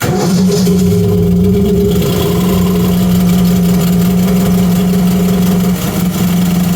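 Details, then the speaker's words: Rebuilt Ford 351 small-block V8 on an air compressor (new rings, rods, timing chain, pump, bored 30 over), cold start on choke: catches and settles into a steady, even idle with a firm low drone, no knocks or ticks; normal cold start and warm-up idle. "Let it run a little bit and warm up."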